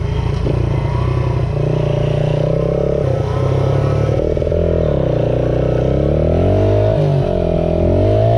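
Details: 1978 Honda XR75 single, restored, after moving the carburetor needle clip to the manual's position: smooth even exhaust note rising and falling cleanly with throttle while riding, no misses or knocks; normal running.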